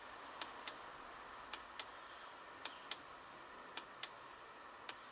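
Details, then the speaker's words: HCalorie Chinese diesel heater on homemade controller, first-time test: after flame-out the dosing pump keeps ticking in sharp pairs about once a second; it didn't pulse like this on the bench, and the owner suspects a disturbed pulse-generator circuit or a wire pulled off. "you're very unhappy with the way that um pump is now operating it wasn't operating like that before when we tested it on the bench"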